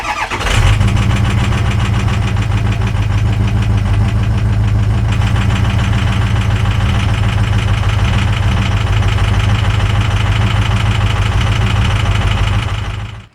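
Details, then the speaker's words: 2004 Ford Excursion 6.0 PowerStroke diesel, ~375,000 miles, cold February morning after sitting a couple days, before Stiction Eliminator: fires and settles into loud clattering idle with rapid steady ticking over low rumble; owner attributes it to internal friction (stiction). "it was a much colder morning and been sitting for a couple of days and in this video you can really hear how much friction is within this engine"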